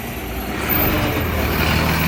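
Big diesel idling and working close by with a raspy, puffing chuff riding over the rumble, typical of a leaking exhaust joint.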